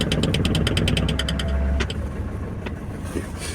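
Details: Mitsubishi Fuso Canter diesel with faulty injectors: hard to start, it runs rough and misfires under light throttle with sharp knocks while the cab shakes and door locks rattle.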